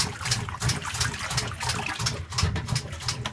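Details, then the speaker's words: KitchenAid Prestige Easy Clean Selectra top-load washer on gentle cycle: repetitive clicking, about three a second, over sloshing water. There is no clicking on the normal cycle; the cause is unknown. "i've got this on gentle cycle and we'll start it here and you'll see what kind of sound it's making"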